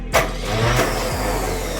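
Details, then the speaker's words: 1971 El Camino with no spark, starter bumped via solenoid with thumb over cylinder 1 plug hole, ignition off: short starter bump with sharp puff popping off the plug hole; cylinder 1 has compression, before setting TDC and timing. "You wait for your starter to work. Okay, did you hear how it popped off? Yeah. So that's compression, cylinder 1."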